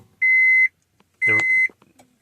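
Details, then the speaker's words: 2004 Honda Pilot with intermittent crank-no-start, key turned on while relay working (relay suspected as fault): steady high beeps about once a second with short dull shift-lock solenoid click between; normal chime and shifter release. "solenoid hits that uh shifter release, and every time you hit the brake, it'll activate the shifter release."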